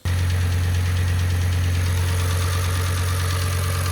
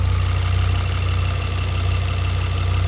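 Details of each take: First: Audi RS6 V10 at idle, earlier footage from first engine start: steady low hum with faint quick light ticking from the cylinder head, traced to a FEBI hydraulic lifter (cam follower) believed faulty; warranty declined. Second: Audi RS6 V10, tuned with upgraded fuel pumps, idling and revved: steady idle with fast light ticking over deep smooth rumble, mostly injector noise; earlier top-end tapping from mid manifold area now gone.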